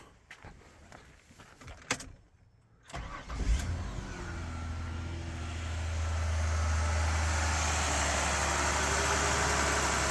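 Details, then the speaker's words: 2006 Ford Escape 3.0 V6 after new valve cover gaskets, with a loose vacuum line reconnected and AC on: brief crank, clean catch and a steady, even idle with the chopping noise gone. Normal start and idle. "that's better we're at the AC on we get that that Chopper noise goes away so we're looking good"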